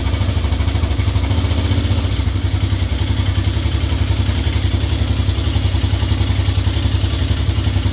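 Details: Grizzly 600 single-cylinder ATV, cold after carb work and a new intake boot, engine previously opened by someone else: rough, uneven clatter pulsing under the thump at idle; internal engine noise, cause unclear.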